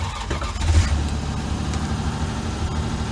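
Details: 1966 Dodge Dart GT with 225 slant six, cold start after fitting a new alternator, belts and voltage regulator (battery reading 12.20 V beforehand): catches quickly and settles into a smooth, even low rumble with no knocks or misses. Normal.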